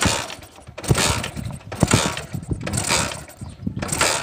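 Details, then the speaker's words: Honda CD70 motorcycle kicked over during a spark test: the engine spins about once a second but never catches; very poor spark that cannot jump a 1-inch gap, an ignition system fault. "We are getting a very poor spark while taking the cable very close to the ground earth on engine. This spark is not enough to start the engine."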